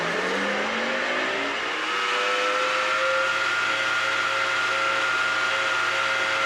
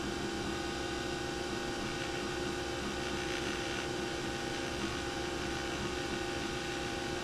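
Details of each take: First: Nespresso VertuoLine spinning a capsule while brewing: a loud, harsh, blender-like whine that rises, then holds steady; a bad bearing is suspected. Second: Nespresso Vertuoline after replacing the noisy spindle bearing: a smooth, steady mid-pitched whir with no grinding or rumble while brewing; the new bearing sounds healthy.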